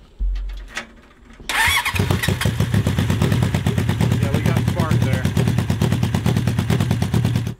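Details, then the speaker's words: Honda CB750-engined cross kart: cranks, catches, then lopes with an uneven chuffing beat about two per second instead of smooth; misfire from a flooded, fouled plug sparking across the insulator; new plugs restored full power. "oh yeah this one's flooded yep oh yeah we got a bad spark plug here it wasn't jumping the gap it was actually sparking between the uh insulator in there which is going to be a problem"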